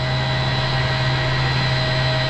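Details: Commercial HVAC centrifugal condenser water pump, BMS-controlled, run in hand at 37 Hz/61%: steady even hum, constant low tone, faint high drive whine, no knocks or surging; running normally.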